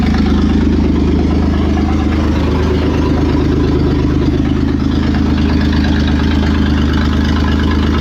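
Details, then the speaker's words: Toyota 4Runner 3VZ-E V6 after engine repair, exhaust and vacuum lines not connected: loud, steady, deep idle with an even beat and no misses or knocks, running on all six or at least five cylinders, normal idle. "okay I'll say it runs and it runs on all six or at least five of them"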